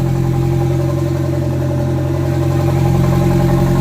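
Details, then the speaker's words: MG TF with a new engine and turbo conversion, first start, engine bay fans running (owner suspects the coolant temperature sensor): steady, loud throbbing idle with a deep, even beat of about three to four pulses a second; excessively loud running. "God, she's loud."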